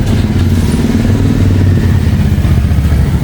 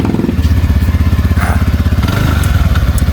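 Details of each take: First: TVS Ntorq 125 scooter at 58,671 km: uneven metallic clatter over the low engine note while running, like a utensil breaking; the one-way clutch nut has come loose and is to be tightened to fix it. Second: TVS Ntorq 125 scooter after full service, which cured an earlier cracked-pot-like engine noise. The auto choke ticks briefly after start. Steady, even idle thump about four beats a second, no knock or chain rattle; normal idle.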